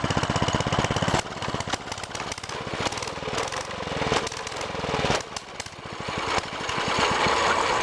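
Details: Baja DB30 mini bike, 97cc four-stroke single, cold start on choke, not yet heated up: uneven thumping with revs sagging and surging; it dies at half choke. Cold start on choke.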